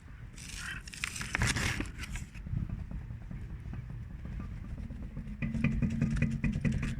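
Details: Lada Vesta 1.8, 10,300 km, front left wheel rocked by hand on a jack: irregular dull clunks and scraping, about two a second, when rocked one way but not up-down; owner suspects tie rod or tie rod end, calipers ruled out.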